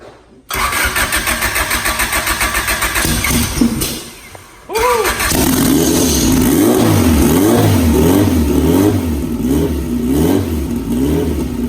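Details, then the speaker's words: Big-turbo Honda F20B EG hatch, start after wiring cleanup, new TPS calibrated, throttle body, intercooler pipe, coolant and transmission fluid refitted; starter churns, engine catches, then clean even throttle blips; sounds good, normal start and revving. "You've seen the hatches running, sounds good."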